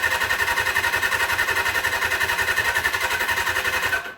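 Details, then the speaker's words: 1979 Suzuki GS750 motorcycle, sitting since 1984, first start attempt; float bowls may not have filled yet; starter spins the engine at about four compressions a second but it never fires; owner suspects a safety lockout switch: crank no start. "not even hitting maybe there's a safety switch or something"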